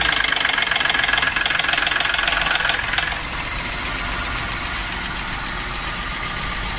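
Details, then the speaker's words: Ford V6 EcoBoost gasoline engine: light, fast metallic rattle over the idle, then settling; particular noise also seen on 1.6 inline-four chain engines, attributed to the timing chain slapping. "como logramos observar es un ecobús presenta una condición de un ruido que es bastante particular sus ha sucedido en otras motores en otros vehículos ya sea motores también 4 en línea 1.6 con cadena de distribución"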